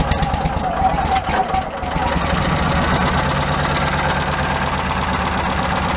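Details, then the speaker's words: Cushman Meter Maid small engine idling with a new custom exhaust made from a cut-down motorcycle muffler: a light, rapid valve clacking on top of the idle, showing the valves need adjusting. "Definitely gotta adjust the valves now. Now you hear the valves clacking."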